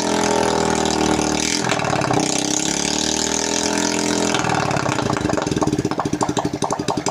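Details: Honda Karisma (Supra X125-type engine) that smoked heavily despite a good piston, after the clogged oil-ring holes were cleaned and a new ring fitted; run without the exhaust to confirm it no longer smokes. Open-pipe blips settle into an even, crisp idle with steady firing pulses and no misses; normal idle.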